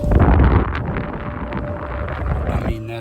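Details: Dryer vent after a full cleaning (first-floor dryer run down into the crawl space), airflow checked at the outside hood: loud, gusty rush of air blowing hard. The vent is clear and flowing freely.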